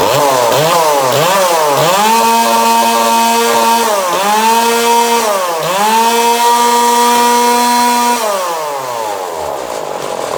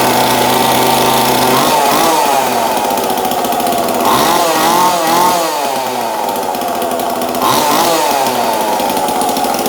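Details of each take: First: 2002 Husqvarna 136 chainsaw with new carburetor, tuned and warm after about 10 minutes at wide-open throttle: blips up and down, holds a clean steady high scream at full throttle, drops back smoothly; healthy. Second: 2002 Husqvarna 136 chainsaw just fitted with new aftermarket carburetor, air filter, fuel line and filter, no high/low/idle tuning yet; fast two-stroke buzz wavering slightly, never drops to slow idle; idle too high.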